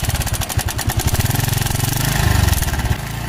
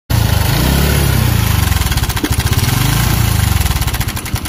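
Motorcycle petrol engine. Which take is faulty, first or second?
second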